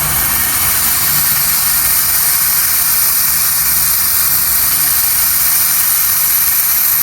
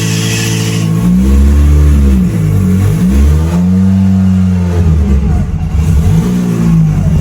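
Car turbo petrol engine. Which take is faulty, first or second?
first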